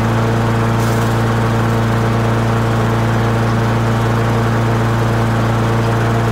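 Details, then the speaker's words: Honda HRR216 mower warmed up after a slow-releasing auto choke: loud, steady drone with a constant low pitch and no surging or hunting; it is running normally. "and maybe the choke is finally stopped the correct running position"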